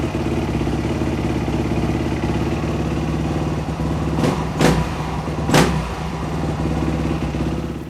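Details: Dirt bike after a top-end rebuild, refired after idle speed adjustment restored the fuel squirt; running steadily with a crisp, even beat and a few throttle blips, healthy and settled; normal running.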